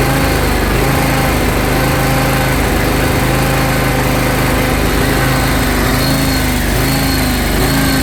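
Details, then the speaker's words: John Deere X540 mower after 20 years of neglect, hard to crank and needing full choke for several revolutions to fire: the idle drifts and dips up and down instead of holding steady, a surging idle from fuel starvation. "So, in the video you just saw, it was idling up and down, up and down, up and down, up and down. And we also had a hard time to crank it."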